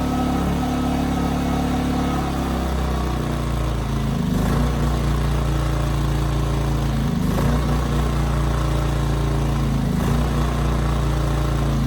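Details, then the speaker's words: 15-month-old Ryobi RYI2300 inverter generator under a light 400 W load, with auto idle both on and off: steady drone dipping and recovering about every three seconds, a hunting surge; a bad carburetor is suspected. "so that was it the 400 watt load was causing it to surge with the auto Idol on and off which is interesting to me"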